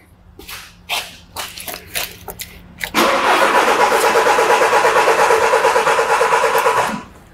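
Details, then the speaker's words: Diesel vehicle with the fuel pump volume control valve fuse removed, cranking for a starter current compression test: even starter pulses, about three a second, no firing; crank-no-start with fuel cut. "so i should say sorry that we have the fuse removed for the volume control valve on the diesel pump so this vehicle now will crank but not start"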